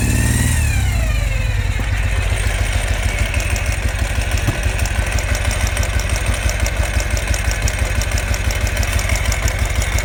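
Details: 2005 Ural Patrol twin motorcycle firing only on the left cylinder, after pouring gas into the dead cylinder without effect: catches and runs at a lumpy, irregular beat of about three a second, only one cylinder firing.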